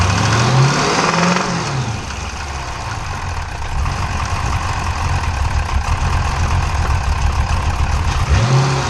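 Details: 392 V8 with 1400 miles, steady tapping knock about four per second as it revs up, settles to idle, revs again; sounds like a Cummins diesel; internal engine knock.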